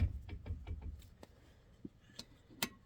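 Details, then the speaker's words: Nitro 35-spline locking hub on a Dana 60 front axle, in free and turned by hand after modification: light, sparse ticks, no grinding or binding; axle shaft just barely touching. "I don't really want to rub on that shaft so it still makes that noise so I probably could leave it and then it'll slightly uh wear in there like it's it's not there's no binding at all like it's just barely clicking on it"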